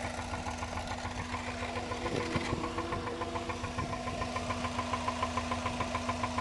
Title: Subaru Liberty. (Knocking noise)